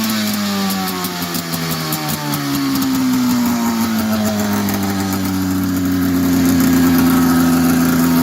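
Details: 1990 Polaris Indy 500 snowmobile that sat outside since 2005, with carbs cleaned, new plugs and gas, belt removed and a holed header pipe. A crisp, even two-stroke note climbs slightly with throttle, with no misfire or stumble, so it runs cleanly.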